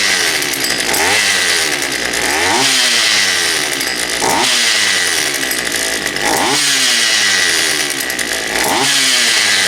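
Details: Poulan Pro 222 38cc chainsaw after the fuel lines were re-routed correctly and a new air filter fitted: it revs up in sharp bursts about every two seconds and drops back cleanly each time. It runs properly.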